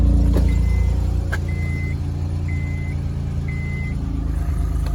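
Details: Normal idle on a 2004 Honda Accord 3.2 after installing a new PCD and J-pipe to cure an exhaust leak: steady, deep idle with an even burble, no ticking or puffing, a repeating beep in the background; exhaust sounds sealed.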